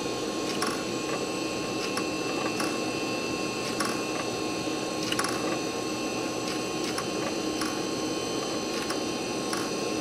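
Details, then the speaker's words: Quantum hard drive in a cleaned Socket 7 computer: a quiet hum broken by sharp, uneven clicks every half second to second as the drive struggles to spin up and initialize; the drive is failing. "the uh hard drive is bad I can tear it clicking around and trying to initialize itself"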